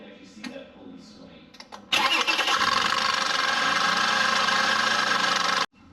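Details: Toyota Avalon 3.5L V6, engine started: a fast, uneven metallic rattle over the idle from a failed idler pulley chattering on the belt, passenger side of the engine bay.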